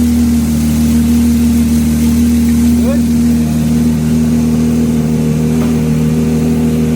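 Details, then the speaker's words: Lamborghini Murcielago LP640 manual V12 on Haltech Nexus R5 ECU with custom twin E46 M3 ITBs, after mechanical throttle balancing: low even idle at 780–790 rpm (stock 1,000), steady tone, no stumble or lope; smooth idle. "so yeah we're idling at what 780 790 RPM yeah and the the idle for the car is 1,000 RPM but that sounds so smooth at 800 I'm um I'm super happy with that"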